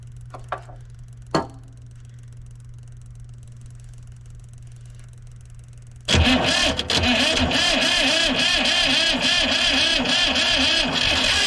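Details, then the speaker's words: Diesel vibratory roller compactor, sitting 30 years, new starter: a few clicks, then a loud, uneven churning crank that tries to catch but won't settle into a run; ether added while cranking; very close to starting. "yeah starting to get aggravating here it's really close like it really wants to go"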